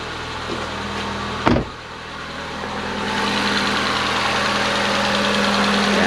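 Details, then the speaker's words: Ford Fiesta 1.6L after head gasket replacement, first start with dry engine, fresh Motorcraft 5W20 and filter: light, fast valvetrain ticking at idle because the top end is still dry of oil. "all right it's ticking because it's completely dry so I'm just gonna let it idle"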